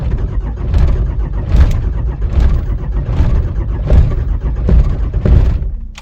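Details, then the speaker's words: Cold 5.9 Cummins diesel (two 5-year-old batteries, anti-gel fuel, no block heater or grid heater) at 12°F, coolant 14°F, no throttle: slow, labored cranking in uneven surges, never catches; took about 8 cranks and a jump to start. "It's 13 degrees. Excuse me. It is 12 degrees. Let's try it. Whoa, it did not like that."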